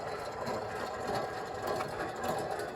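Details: 2014 Nissan Rogue Select before replacement of a bad wheel bearing: a gritty, rough rumble with a dry, scraping texture as the hub turns; worn wheel bearing.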